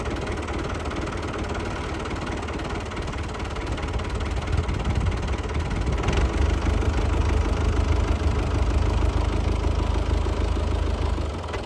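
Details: Lifan 7hp/GX200-clone engine on a Frontier OS18 sawmill, after head gasket repair (zero compression from a loose head bolt) and valve lash setting: a steady low single-cylinder chug that firms up under slight load, even beat, no misfire or tapping; healthy.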